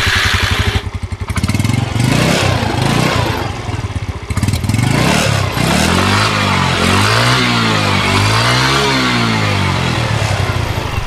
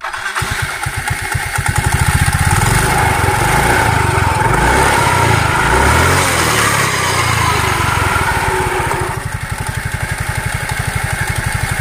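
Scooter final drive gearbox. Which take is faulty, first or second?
second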